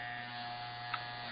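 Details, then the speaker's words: Andis gray T-Outliner trimmer with T1 blade, after loosening the blade to give clearance between the hair guard and blade: strong, steady, unbroken buzz with no stalling. The blade can no longer be stopped by a finger; full power. "So now it's working great. It has a good sound. Your trimmer should have some vibration in your hand. That tells you that it has enough power."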